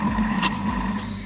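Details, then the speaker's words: Household water pump motor running: steady even low hum with no rattle or grinding; suction pulls hand at inlet so motor and head are OK. "अगर आपका हाथ इधर से खींच रही है अंदर की तरफ तो इसका मतलब यह है कि आपकी मोटर चालू है हेड आपका ओके है"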